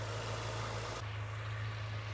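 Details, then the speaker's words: Subaru Impreza GC8 with an external head gasket coolant leak, CRC head gasket repair added, about a minute after start: low, steady idle hum, even rhythm, no knocks, ticks or misses; the engine idles normally. "and as you guys can hear it's only been like a minute or so since I've turned the car on the idle the engine still sounds perfectly fine"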